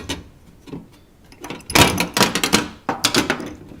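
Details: 1989 Pontiac Firebird door skin pushed by hand before Dynamat install: bursts of tinny metal-on-metal chatter from a loose corner of the door skin; loose door skin rattle.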